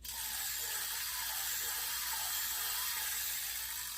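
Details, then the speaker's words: Daiwa 4000C Silver Series spinning reel after a full clean and lube, cranked with the anti-reverse off; light, even whir with fine rapid ticking, no grinding or catches, about as smooth as when new. "Let's listen to it without the anti-reverse on. But that's not bad. They weren't much better than that brand new."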